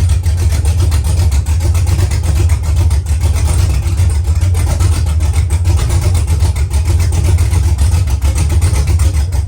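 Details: V8 truck after DOD (cylinder deactivation) removed from the tune, with mechanical DOD delete, exhaust still to be fitted: deep steady idle with mild rhythmic cam lope, all cylinders firing evenly, healthy.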